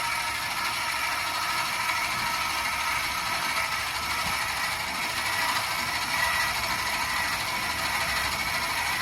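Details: 26RKWS camper stabilizer jacks, with one motor driving both jacks, lowering to the ground: steady whirring with faint ratcheting, then the motor labors once the jacks touch and the camper starts to move, the cue to release the switch.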